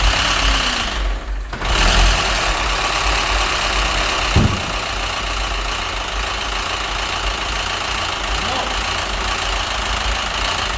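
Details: Citroën DS3 1.6 petrol engine knocking at idle, irregular top-end tapping unchanged after filter and fresh oil change; engine ran without oil, metal shavings found in filter, idle hunting, diesel-like clatter, rich-mixture/O2/phase codes; head or crankshaft suspected.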